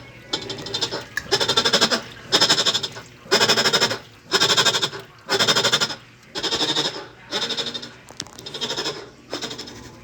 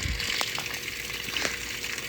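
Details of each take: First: Whirlpool top-load washer while washing: loud groan in a bleating rhythm with each agitation stroke; worn, loose drive pulley. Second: Whirlpool top-load washer after pulley repair: water swishing with only a faint steady hum, the earlier loud noise during washing gone.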